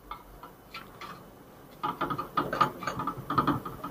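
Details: Front right shock absorber from a 2020 Ford Ka 1.0 sedan worked by hand: irregular dry ticks and clunks from rod play due to a worn guide valve and a blown, leaking seal; replacing the shock cured the noise.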